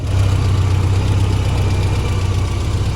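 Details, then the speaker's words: Jackaroo after intake manifold gasket refitted the right way round, now running: deep, steady idle rumble with even beat, no knocking or misses; normal idle. "got the engine all running it was all sweet running nice"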